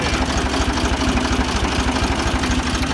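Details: Ford 2000 diesel tractor running on Diesel Purge, before shutdown to let it soak in the injectors 10-15 minutes: rapid, fairly regular hard clatter over idle, diesel knock from bad injectors.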